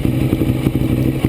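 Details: 2009 Ducati 848 after fuel pump hose repair, tank filled, idling during leak check at the pump flange: steady, low, lumpy idle with an even beat and no misses, knocks or rattles; healthy, no leaks seen at the flange.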